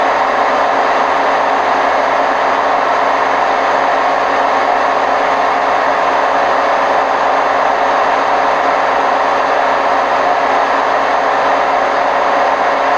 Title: Hotpoint WMF760 spin program with bad bearings May 2018